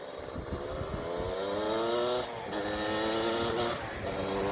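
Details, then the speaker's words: Suzuki LT250R two-stroke on a 260 main jet: it revs up, then stumbles and cuts out repeatedly under throttle. Breaking up, a misfire. "nope still breaking up still breaking up bad huh interesting"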